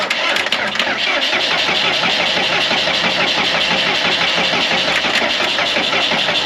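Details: Morbark 2400XL track chipper's 4BT diesel, bought at auction sight unseen, cranked with battery jumped to ignition: the starter cranks at a steady rhythm for several seconds but it never catches; no fuel reaching the injectors, checked at a cracked injector line.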